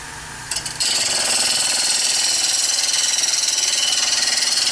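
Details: Wood lathe turning a bowl from a board, 1/2 inch bowl gouge smoothing an out-of-round blank: rapid hammering chatter about four beats a second over the gouge hiss as it catches a flat spot; interrupted cut from out-of-round blank.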